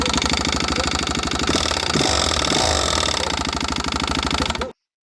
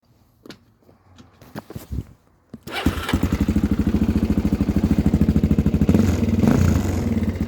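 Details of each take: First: Suzuki DRZ400 single cylinder at fast idle: harsh, irregular metallic clatter far louder than normal valve tick. The valve guides are disintegrating, leaving metal pieces in the combustion chamber. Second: Suzuki DRZ 400 single-cylinder, about 30,000 km, after an engine rebuild following a failed valve guide that dropped metal into the combustion chamber: a few hesitant attempts, then a steady, even idle thump with only mild mechanical noise. Healthy.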